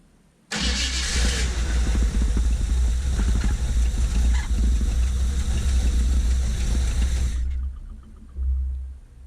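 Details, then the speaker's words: 1975 Chevy C10 V8 just reassembled after rebuild, first start after the timing was reset; runs with lazy, uneven lope and soft chuffing beat: ignition timing slightly retarded, needs a little more advance. "so yep just set it it's a little it it sounded a little so it needs a little bit more advance in it"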